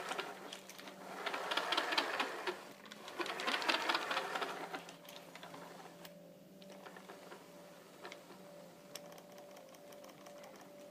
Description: I upgraded the stock pinion to 16t and after the exchange there's a weird noise coming from the car.